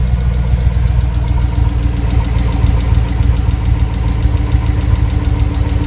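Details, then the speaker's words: Freshly rebuilt GM 5.3L V8 (bad lifter replaced) at idle with a light rhythmic tick, steady at one speed; ticking at idle, possible cam problem suspected, not confirmed. "there is a little bit of there may be a problem on the cam but yeah"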